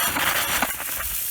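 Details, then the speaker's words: Drip irrigation system first run of the season at an orchard: hissing, spitting sputter as trapped air blows out of the opened last riser to purge the main manifold before water comes; normal air purge. "and i want to get as much of the air out as i can from the main manifold"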